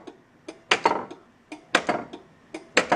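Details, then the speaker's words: 1981 Bally Mr. & Mrs. Pac-Man pinball during solenoid test: crisp clusters of clicks about once a second from the solenoid expander relay pulling in, letting one transistor drive two devices; normal relay clicking. "you'll notice that you'll hear this clicking and the reason why you hear this clicking every once in a while this thing right here the solenoid expander"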